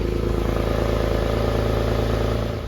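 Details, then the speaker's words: Porsche 911 (996) flat-six after a five-year restoration: strong, even note with a steady low pulse and no knocks or misses, running cleanly. Left-hand exhaust tip loose. "Okay, so it stinks, as you can imagine. That left-hand exhaust tip is also loose. So that'll probably flop down, but it sounds good."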